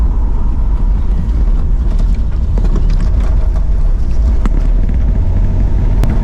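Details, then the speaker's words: 1968 Pontiac LeMans V8 driving after tune-up: deep, steady, even rumble with the speedometer cable possibly rattling loose; engine runs smoothly now that the distributor, which had walked out of position, is corrected. "Oh yeah, she's running much happier now. I can't believe I let that distributor walk around on me."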